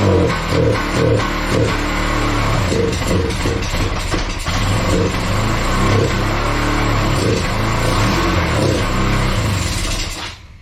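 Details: Kawasaki Bayou 220 ATV, sat eight years, after carburetor cleaning: single-cylinder thump settles into even beat, picks up cleanly on each throttle blip, no stumbling; smoky but clearing, air filter off, fuel lines slightly leaking. Normal running and revving.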